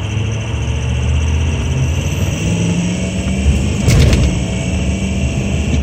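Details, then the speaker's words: 2004 truck at 147,000 miles, oil filter drained down, cold no-start: long labored crank with steady low rumble, rolls slowly into a start, injection control pressure (ICP) slow to build and never maxes; owner suspects low-pressure oil drain-back or weak/leaking pump, cause unconfirmed. "all right so I PR did not max out so who knows guys"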